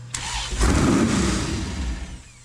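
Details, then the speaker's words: Sandrail engine at first start after engine swap, factory tune; cranks and catches into a rough, uneven burst that sags as throttle eases, running pig rich and black, needs laptop tuning to idle. "It's pig rich. See how black it is? Rich is good."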